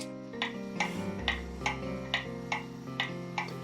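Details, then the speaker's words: Early-1900s Seth Thomas kitchen clock heard through a beat amplifier on the movement before repair; tick-tock initially uneven, out of beat, then adjusted to crisp evenly spaced tick-tock about twice a second, in beat. "as you can hear there it is not in beads it's not an even tick-tock"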